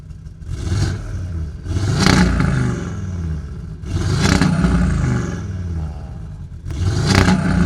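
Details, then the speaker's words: Audi RS3 five-cylinder, not standard, revved while stationary: three quick blips from idle, each climbing then flattening at the same ceiling before falling back as the stock soft limiter cuts in at about 4000 rpm. Normal rev limiter. "Now obviously we have the classical Audi soft limiter, which is really a shame because sports cars such as this, soft limiter, I don't think it should have one."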